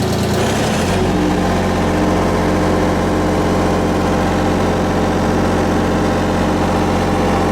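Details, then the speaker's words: Miller 400D welder engine with brushes and slip rings checked good; it catches and settles into a steady, even idle with a smooth low drone, no knocks or misses, about 32 volts at idle. "I got about 32 volts at idle, about 92 on my leads down here and run."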